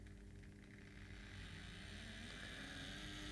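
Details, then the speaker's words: Bachmann 44T switcher with DCC, run straight out of the box: a steady, rough buzzing whir with about four pulses a second and a gritty edge, cutting out at times. The motor runs noisily; cause unknown, possibly from sitting in its box. "but yeah I mean it's it's running somewhat better now but it certainly doesn't sound good at all but you know maybe it's just been sat in its box for a little while"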